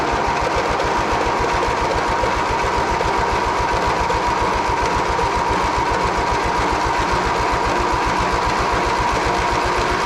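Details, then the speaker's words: John Deere 116 riding mower stored about two years with mice nesting in the engine, jump-started: small engine runs with a quick, even popping beat and steady speed, no misfires or knocks; surprisingly started. Normal running. "Well, I'm shocked that that actually started."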